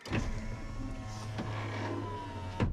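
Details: 2000 Ford F250 Super Duty 7.3 diesel power window, after the bent track that was pushing out was bent back by hand: the motor hums steadily and quickly for about 2.5 seconds with no binding and stops cleanly. Normal operation.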